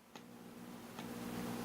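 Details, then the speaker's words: Homebuilt Class A single-ended amp, #42 power pentode output tube, about 20 mA plate current, tube warming: faint steady low hum from the speaker swelling slightly with soft ticks; output stage alive, low voltage gain. "is definitely alive there's not a lot of voltage gain with this power tube but you can hear the speaker humming so that tells me that our tube is alive and well"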